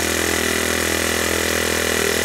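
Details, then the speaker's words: Ryobi S430 30cc four-stroke overhead-cam string trimmer engine, removed and mounted on a wooden stand, started up and run; a fast, steady buzz with an even beat and no knocks or surging, running normally. "so now we're go ahead and we'll get this engine start it up so you can see it run"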